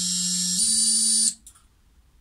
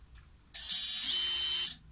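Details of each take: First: Xing 2207 brushless FPV quad motor after replacing bearings with 684ZZ 9x4x4: clean high whine stepping up in speed, cutting out and spinning back up with no rasp or rattle; normal running. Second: Brushless FPV quad motor (motor number three), spun up to check it before its 684ZZ 9x4x4 bearings are replaced. A thin, high-pitched steady whine with a slight rasp from the worn bearing.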